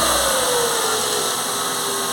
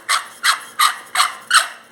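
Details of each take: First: Ford Fiesta petrol engine idling after water pump (and belt) replaced: steady low hum and hiss, earlier squeal/whine from the failed water pump gone. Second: Ford Fiesta noisy when accelerating; the removed water pump, spun by hand, gives about three dry, raspy squeaks a second, the same noise as on the engine. The belt and steering were ruled out, and replacing the pump fixed it.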